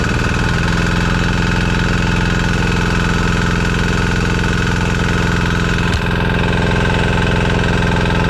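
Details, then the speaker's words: Amazon 196cc Chinese single-cylinder diesel belt-driving a 6-phase scooter hub motor as a generator, first loaded test run making about 700 W: steady, rapid, even chug with no misses or knocking. Engine running fine; some smoke, expected to clear once warm. "this thing really never gets up to temperature without a proper load everything seems to work perfect"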